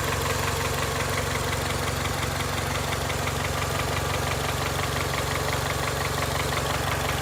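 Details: 2002 Honda Accord, 260,000 miles, steady idle with a sharp even knock nearly three per second; owner unsure whether it needs a valve adjustment or has rod knock, source undetermined.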